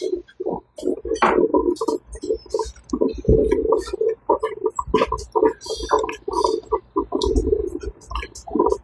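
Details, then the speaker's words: Drip coffee maker after disassembly, cleaning and blowing out its clogged hose with compressed air, full reservoir of filtered water: irregular gurgling and spitting bursts with steady flow, no dry sputtering; percolating normally, better than before when it sounded like running out of water. "okay it's percolating you can hear [Music] it oh yeah there it"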